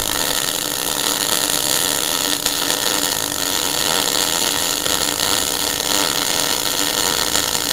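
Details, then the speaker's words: MIG welder after turning voltage up a fraction at the same wire speed: even fine crackle like bacon frying on the stove, a smooth arc with wire speed and voltage balanced instead of spitting and popping. "you hear it sounds it sort of sounds like a something frying on the stove can you hear that"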